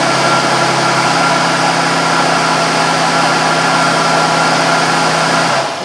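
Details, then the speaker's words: 2001 Buick Park Avenue running after AC compressor clutch replacement for a noisy pulley bearing with clutch disengaged: smooth, even hum with no grinding or bearing growl, then shuts down; the noise is gone. "I did run it no horrendous noise when it's not on now which is good"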